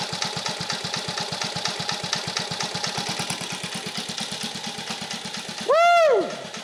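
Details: 1950 REO small engine, freshly revived, carburetor adjusted down to a very low idle (these reportedly idle real low): slow, even putt-putt roughly eight beats a second, steady without missing; healthy very low idle.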